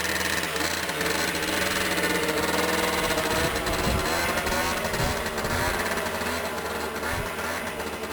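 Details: Small engine after fuel pump repair for no fuel reaching the carburetor, fuel primed beforehand; it catches and runs with a steady putter rising and falling with throttle, no misfires; normal running.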